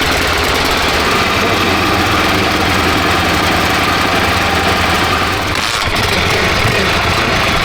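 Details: Freshly restored and rebuilt Honda XR600R big single (one owner, 7,400 km, had low compression), just started first kick: steady even idle thump, no knocks, ticks or misses; healthy.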